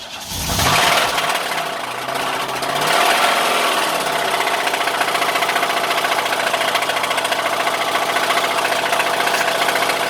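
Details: 1986 Buick LeSabre 3.8 V6 cranks, catches and idles with a steady hollow knock, with very black oil showing metal flecks; rod knock.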